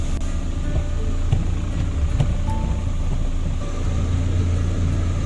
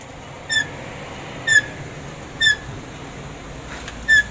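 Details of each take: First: DFM Succe after rear brake drum cleaning: low steady rumble of the running car with no squeal from the rear brakes; the handbrake-release noise is gone. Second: DFM Succe rear left drum brake squealing: four short, high-pitched squeaks about one a second from a dusty drum, before cleaning it.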